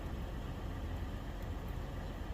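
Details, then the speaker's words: 2015 Toyota 4Runner 4.0L 1GR-FE V6, 241,000 miles, after replacing a cheap oil pressure switch that flashed the oil light at idle: steady even low idle rumble, no ticks, knocks or misses; confirmed cheap-part issue, not oil pressure. Normal idle. "So I feel confident that this is a confirmed fix. I do not think it was an oil pressure issue. I think it was a cheap part issue."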